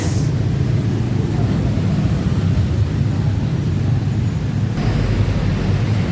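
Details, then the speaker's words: Yamaha NMAX 155 CVT with a rough sound that appears when hot: a deep, uneven rumble from the belt drive under load with a coarse grainy edge. The rollers are sticking in a damaged roller housing, and one component was found installed reversed. "Today's case is the Yamaha NMAX has a rough sound in its CVT."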